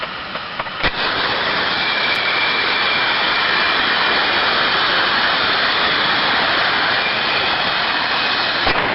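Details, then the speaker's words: Ultrasound recording of a good thermodynamic disc steam trap, which normally cycles two to ten times per minute: steady turbulence, a large rise as the disc opens, then an abrupt halt and sharp click as it slams shut. "so as you can hear them you hear a study level of turbulence first of all then all of a sudden a large rise in turbulence as that steam trap opens"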